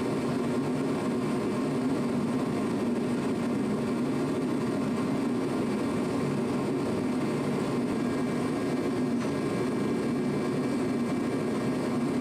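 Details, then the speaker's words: Challenger tractor diesel after repairing a worsening exhaust leak: steady, even drone at constant speed with no puffing or ticking, all exhaust going out where it should; normal running. "we fixed the exhaust leak um we just had it running and everything seemed all right all the exhaust is going out where it's supposed to sounds good"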